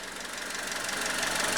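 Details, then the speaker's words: 2000 Honda Civic LX, fully warmed up after a head gasket replacement for overheating: smooth idle with steady quick ticking over hiss, no stumbles or knocks, running well before the EVAP drive cycle. "all right this thing is fully warmed up running good let's take it out for a spin try to get that last admission monitor to set"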